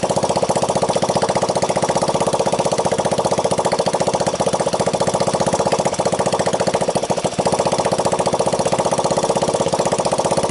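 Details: 1985 Honda ATC 200X junkyard three-wheeler after a cold start on starting fluid, camera on the tire. Quick, even single-cylinder putter at about four beats per second, steady throughout, with no valve, chain or bottom-end noise. Normal idle.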